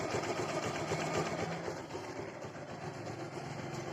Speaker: देखो सिल्वर दबाएंगे bike start हो रही है जरा से अभिनय आवाज नहीं है कुछ तो सुना आप लोगों ने जरा सब इंजन में आवाज नहीं है